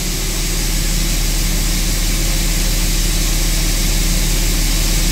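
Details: 2004.5 Dodge Ram 3500 diesel after heating cycle, following crankshaft position sensor work for slow start and rough idle: steady, even low rumble with no stumbles or misses; idle smoothed out, cranked faster.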